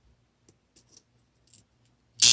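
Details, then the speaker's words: Eaton 24 V AC solenoid coil from a competitor's boiler water feeder, spring-loaded piston: near silence, then a loud, steady electrical buzz as the coil pulls in; buzzing appears at a critical plunger distance and goes away when lowered. "yeah it is so as you it draws the piston up and you can also hear the buzzing if you bring it down low you get the buzzing goes away but if you're at a certain critical uh distance there's the buzzing"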